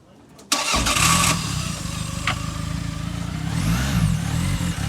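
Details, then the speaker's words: Newly bought used car idling: engine catches, then idles unevenly, its beat lurching and sagging as if about to stall; owner says it had run better at purchase; rough idle. "i gotta fix that sounds like it wants to stall it's yeah"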